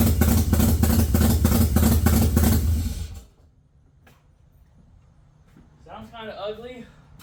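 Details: 1989 Mazda RX-7 Turbo II rotary engine, first start after reassembly on a battery that had died overnight; runs lumpy with uneven thumping pulses about three a second for a few seconds, then cuts out. Rough running, cause not confirmed; fuel return still needs fixing.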